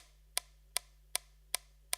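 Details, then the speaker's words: Franz electromechanical metronome with a motor-driven plastic flywheel and cone: crisp, evenly spaced ticks around 150 per minute over a faint steady motor hum; beating normally. "you can hear it is beating, and now we can have a closer look at what is actually going on."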